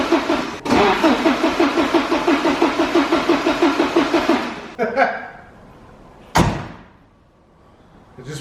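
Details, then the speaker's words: Porsche 944 widebody, start attempt after fuel pump and hose replacement, with the ECU removed from the car: the starter turns it over at about three even pulses a second for four seconds but it never catches. Cranks, no start. "when we disassembled the interior we took the ECU out I think it's gonna start without that"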